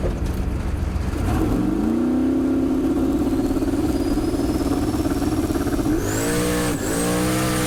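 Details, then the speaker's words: Turbocharged drag car at the track, in-car audio: engine howl climbs hard, then after the shift into high gear it flattens out and doesn't pull; loss of power in high gear. "so if you listen close throughout this video on the in-car shots you'll hear the engine it clicks into high gear and the engine kind of flattens out if you will it doesn't pull through high gear"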